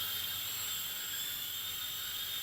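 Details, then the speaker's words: JJRC H98 camera quadcopter powered on: a piercing, steady high-pitched whine over a faint hiss, loud and annoying, unusual for newer quadcopters; source of the noise not identified. "it's loud makes a high-pitched noise too it makes there's some kind of high-pitched sound coming from this thing it's normally these newer gear quadcopters you don't hear that kind of a piercing sound I don't know what's making that noise but it's loud and annoying"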